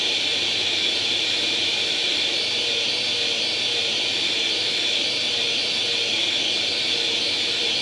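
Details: Atari 800 XL after a RAM-chip transplant fixing a 5V-GND short, loading International Karate from cassette: an unbroken, high, hissy data tone holding steady throughout; the game then starts; normal cassette data loading tone.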